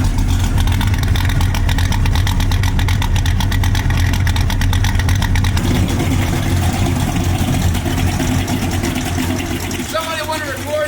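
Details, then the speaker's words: 1967 Mustang (Noise Complaint) small-block V8, started after sitting parked a long time since a 9-inch rear install: a deep, lumpy burble holding a steady, even idle with no knocks or misses. A healthy idle. "Come on, baby, wake up! Just like that, she's alive, idling."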